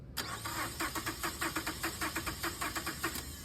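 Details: Starter cranking during a voltage-drop test of the negative battery cable, post to clamp, reading 200 mV, within spec: even cranking at about 150 compressions a minute, strong and regular with no dragging or clicking. Normal cranking.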